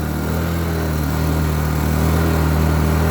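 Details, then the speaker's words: Small 800-watt Blackridge inverter generator hunting from a fuel problem: an uneven drone whose pitch and loudness climb as it surges. Fuel contains some 2-stroke oil; injector cleaner is planned. "Okay, so the fuel's definitely an issue. As you can hear, it's surging and carrying"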